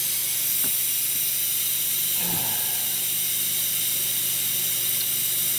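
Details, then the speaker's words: Rolair JC10 air compressor: constant sharp hiss continues after the motor shuts off as air bleeds back past the compressor's check valve; leaking check valve. "so you hear that his sound after the motor stopped I think this air is leaking here"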